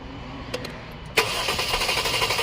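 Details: 2011 Jeep Grand Cherokee 3.6L with a used engine and engine harness fitted. A few light clicks, then steady, even starter cranking, but it never fires: crank, no start. Codes P0202, P2303, P2311 and P2314; coil control is being checked with a scope and test light.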